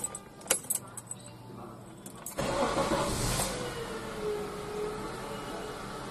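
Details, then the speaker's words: Honda CR-V after replacing the belt tensioner pulley bearing: a few handling clicks, then the engine starts and settles into a smooth, even idle. The earlier tensioner noise is gone. Normal idle after the repair. "现在就没有听到这个声音了。"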